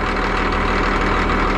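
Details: Cat D6D dozer, late 70s/early 80s, warming up at idle: low even diesel chug, regular firing beat, no knocks or misses; owner suspects a leaking hydraulic hose, oil later found on exhaust manifold. Normal diesel idle.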